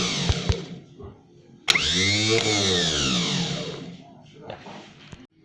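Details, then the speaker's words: Starter motor from a Daihatsu Classy G102, bench-tested by feeding current from the ignition wire to the solenoid; a brief whir climbs, holds about two seconds, winds down smoothly; starter spins freely, normal starter motor spin. "Nah ini akan kita sambungkan supaya ada arus mengalir menuju selenoid starter harus itu akan diteruskan oleh selenoid starter untuk memutar dinamo"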